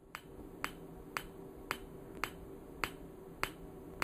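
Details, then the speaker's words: PEMF-100 high-intensity magnetic field therapy unit with intensity turned up: sharp, even clicks about twice a second over a quiet hum, each a coil discharge, clicking settling down; normal coil discharge clicking. "okay and you can hear how that clicking settled down I haven't initiated any contractions in my hand but I can feel it like knocking in my hand now"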